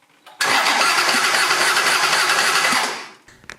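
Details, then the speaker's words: John Deere 755 diesel during compression test via glow plug hole, won't start: about 2.5 seconds of quick even cranking, roughly four beats per second, no firing; owner suspects low compression, only a puff released. "well I would have expected a little bit more than that when I relieve the pressure from the valve just a puff of air came out maybe just a few ounces"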